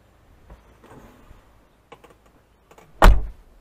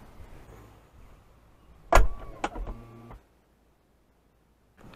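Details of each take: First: Infiniti FX35 rear liftgate after door-panel work for a false liftgate-open light; battery not yet unhooked to reset the computer. A single hard slam, then silence: the soft-close motor doesn't pull the hatch in tight. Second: Infiniti FX35 rear liftgate after the open-indicator fix and unhooking the battery to reset the computer. A sharp thump, then about a second of motor whir as the soft-close cinch pulls the hatch all the way in tight, as it should.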